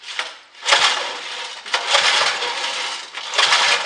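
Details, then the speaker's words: Turf Til 5 HP Briggs and Stratton rear-tine tiller, primed with gas/oil mix, recoil pulls: three rasping pulls spin it over with no firing despite adequate compression; no-start from sheared flywheel key, bad spark plug also found. "nothing. It should fire. It has enough compression."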